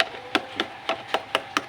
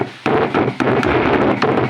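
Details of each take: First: Seven clean wooden knocks on the AJ Bluetooth/MP3 speaker cabinet, about four a second, with no crackle or pop, after all pins were resoldered to fix noise and crackle from the right speaker when moved. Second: AJ speaker cabinet with built-in Bluetooth/MP3 player, noise from right speaker: knocking the cabinet triggers bursts of rough crackling hiss; suspected loose solder joint on heat-sinked amplifier IC board.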